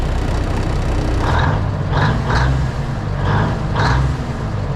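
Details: Classic White Freightliner diesel truck, sat in the cold and plugged in overnight, started with one spray of ether: low, lumpy heavy-diesel idle with a few short hisses just after the cold start; running normally.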